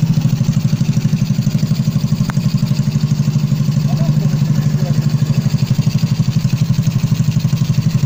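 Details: Motorcycle with hard cold starts, abnormal throttle and unstable idle, after repairing an intake air leak: steady, even thumping at about four beats a second with no stumbling, hunting or dying out; normal idle restored.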